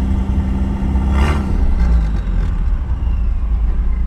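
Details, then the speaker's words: Miata with a budget turbo kit, idle just dialed lower; deep steady rumble with even beat and no stumbling or hunting; normal smooth idle. "do you hear the idle its regular or nice now it's regular you can't even hear it it's not it's so regular it's beautiful"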